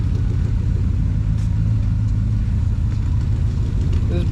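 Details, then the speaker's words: 1962 International Harvester C112-110 pickup, V8 with true dual exhaust and glass packs, idling after Holley two-barrel carburetor rebuild with Trick Kit; steady, even low rumble, all eight firing with no misses or stumbles, not yet fine-tuned; normal idle. "bad girl's got true dual exhaust with glass packs things awesome"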